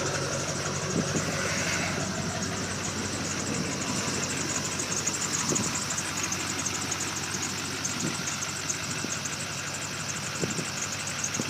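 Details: 2002 Chevrolet LB7 Duramax diesel, after winter no-start (ran a minute unplugged, then died), fuel filter changed and fuel system re-primed: steady diesel clatter at idle with even, settled rhythm, no stumbling or misfire; normal idle.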